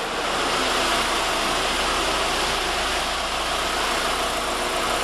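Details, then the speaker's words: 2006 Volkswagen GLI FSI turbo after replacing faulty injectors that caused multiple misfires (cylinders 2 and 3): steady, even idle hum with no stumble, no codes or check engine light; normal idle. "that's a good sign no codes no check engine light vehicles running very smooth customers should be very happy"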